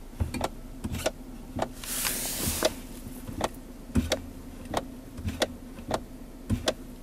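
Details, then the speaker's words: 2011 Kia Sorento, engine idling, sharp clicks often in pairs from the center console shifter with each brake press; shift lockout lever, fixed with an O-ring on its pivot shaft, solenoid not replaced. "can probably hear it every time I push on the brake that clicking sound occurs and it seems like it's not causing an issue with any type of shifting or performance or braking or things like that"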